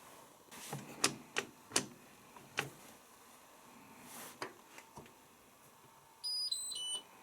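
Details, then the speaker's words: Washer with its door lock engaging but the lock light not registering: a few clicks, then high beeps after cancelling as it drops into automatic drain. "You know what when it's flashing like that, it goes on automatic drain. If anyone remembers my Ultima from years ago, you can cancel it, it'll go into drain, and then cancel it again."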